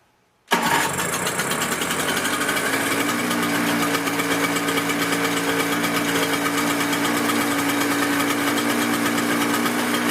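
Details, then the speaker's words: Toro CCR 6.5hp snow blower readied for the season, primed, key on, choke out, cold start: pull start fires at once and runs a steady, buzzy two-stroke idle on choke, even with no misses or knocking; normal cold start. "Take the key, turn it to the on ignition, and then we're going to start it up and see if it works. Also, pull the choke out."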